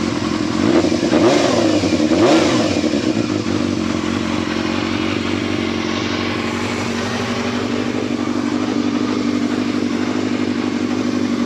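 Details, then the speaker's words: Yamaha Thundercat motorcycle after reassembly, moved outdoors and warming up: quick blips that rise and fall cleanly, then smooth steady idle with no rattle or misfire; healthy engine. "So she's warming up now."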